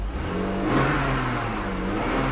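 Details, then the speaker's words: 1997 BMW E39 after new plugs and gasket, misfire possibly from oil in the cylinders clearing: revs rise and settle evenly with a clean steady note and no stumble; running smooth. "at that [Music] nice and smooth"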